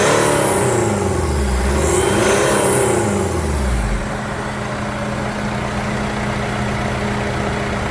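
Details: Jeep Compass after service: quick rev winding down smoothly into an even, steady idle with no knocks or misses; engine running healthy at delivery.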